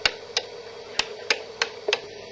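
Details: DUO 14 Premium 2-bit relay computer, address counter stepping 0 to 7: crisp single relay clicks two or three a second, uneven spacing, faint room hum; normal switching.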